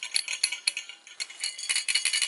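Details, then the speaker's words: Blackened used 400 W HPS bulb being shaken: light glassy clinks and tinkles as loose glass rattles inside, because the arc tube has broken free, so the bulb cannot work. "And it's even got some glass floating around. Actually, it sounds like uh the arc tube"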